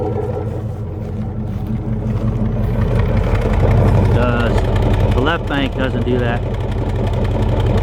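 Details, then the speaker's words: 1996 Chevy Tahoe, warm idle after driving: uneven lumpy exhaust puff about three per second from right-side exhaust, misfire that eases off idle; ignition wires later found likely cause. "that gets pretty pronounced after I've uh been driving a bit and it's all warmed up it'll sit at a light or whatever stop it'll relax the shake a bit"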